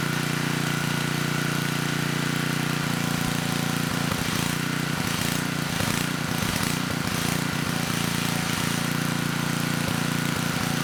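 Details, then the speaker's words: 10hp Tecumseh HM100 on a 6000 W Western Hemisphere generator with a replacement Oregon 50-656 carburetor, running after a choke start and brief initial surging: steady, even drone at constant speed, no surging or misses. Normal running. "Well, I think the carb is actually running this engine quite well. It did start without much effort and it was surging at first."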